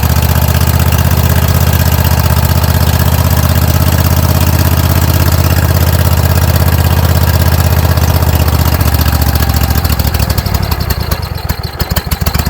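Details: Kohler 7000 Series engine on a Troy-Bilt zero-turn mower, running after carburetor replacement (gas had been found in the oil; fuel shutoff valve added): even, steady thumping about four beats a second, easing off near the end; runs smoothly.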